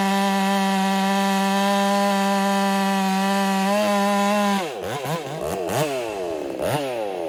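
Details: Ported Husqvarna 385 chainsaw, breaking in, tune slightly rich: a clean high scream at full revs, then the pitch dips and wavers as the chain bites very hard oak but keeps pulling strongly.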